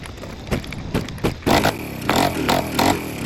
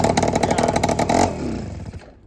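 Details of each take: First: Honda Express 2 scooter, 60cc big bore two-stroke, high-flow intake and performance exhaust, before tuning; owner suspects running out of fuel, plans a bigger main jet: ragged cranking bursts that catch and die, then it fires and runs crackly; hard to start. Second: Honda Express 2 scooter, 60cc big bore two-stroke, after tuning, restarted after sitting a couple of hours: catches at once on the first kick with rapid buzzing firing, then settles; clean, easy start, massive improvement.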